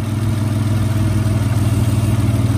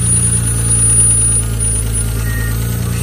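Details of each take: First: Dodge Stealth (3000GT) idle after replacing the worn lash adjusters: a steady, smooth hum with only a faint tick left, and the idle now sounds healthy. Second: Stealth on its first start after new lash adjusters were installed unprimed. Light, fast, uneven ticking sits over the idle while the adjusters pump up; oil pressure is good and the owner rules out the bottom end.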